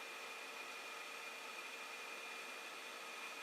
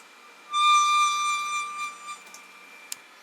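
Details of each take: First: Creality Ender 5 Plus bed moving down fast after Delrin/POM TR8x4 lead screw nuts were fitted: a quiet, steady hiss with a thin, constant motor tone and no squeak. The earlier lead screw squeaking is gone. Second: Creality Ender 5 Plus 3D printer: clear steady high squeal as the bed moves, mostly downward, from lead screw nut; grease, oil and new screws/nuts didn't help; Delrin POM TR8x4 nut stopped it; occasional M112 bed-level failures.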